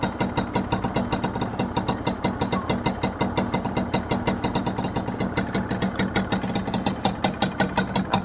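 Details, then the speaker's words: Honda NSR 150R two-stroke, original factory condition, aluminium radiator with normal temperature, starts easily; crisp, even popping at steady idle with no knocks or misses, exhaust not very loud, engine quiet and likely original; healthy idle. "เสียงท่อก็จะประมาณนี้นะครับเี่ครับเครื่องเงียบจิ๊บเลยเครื่องน่าจะเดิมๆนะ"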